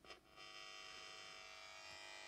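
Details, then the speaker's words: Battery-operated transistor radio, signal injected by touching the circuit board with fingers picks up ambient 50 Hz mains field: steady buzzy hum from the speaker at normal level plus potentiometer crackle; output amplifier working normally. "out of the speaker is the signal i'm putting in with my fingers picked up from the ambient 50 hertz field and what we also hear the crackle of the potentiometer"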